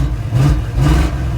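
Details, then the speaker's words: 1977 Chevy Monte Carlo back running after 20 years, just after bleeding power steering, transmission fluid a quart low: two throttle blips, revs climb unevenly with a stutter; stumble on acceleration, owner suspects carburetor accelerator pump not working. "Man, it's a little stuttery, though. I don't think that accelerator pump's working like it should."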